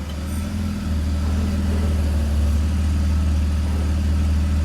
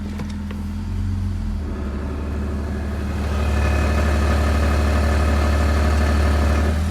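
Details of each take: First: BMW E46 with M54 engine, automatic, with a working torque converter, cycling park, reverse, neutral, drive: low smooth even idle in gear, earlier extraneous noise absent; normal idle in gear. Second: BMW E46 with M54 engine, warm idle in Drive: regular dull thumping nearly four beats a second under the hum, almost absent in Park, Neutral and Reverse, and gone with oil filler cap off; cracked flexplate knocking.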